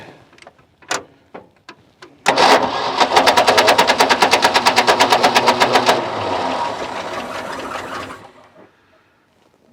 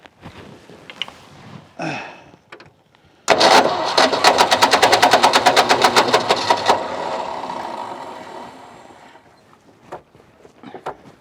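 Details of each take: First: Ford F600 ex-U-Haul truck with a 359 FT engine, sitting 20 years and freed from seizure; first start with the choke engaged and fuel not yet drawn from the tank. Quick sharp pops catch for about three seconds, then die back to cranking: it fires only on carburetor prime. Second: Ford F600 ex-U-Haul truck with a 359 FT engine, first start after sitting 20 years once the locked engine was freed, on choke: rapid even firing pulses with no clatter or knocking; runs normally.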